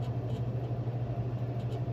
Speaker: Inducer motors kicked off, slowing down. Circulating motors on. It's blowing air through and it's either cooling down the high limit switch or it's resetting so that flame sensor flame rectifier can recognize that there's a flame there.